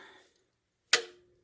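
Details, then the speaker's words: 2008 Chevy Cobalt crank-no-start with the timing cover off, engine turned slowly by hand against compression: one sharp metallic snap as the timing chain jumps a tooth on the crank sprocket. Valves may have hit the piston, not yet checked. "see it kick over and what yep it just jump a tooth"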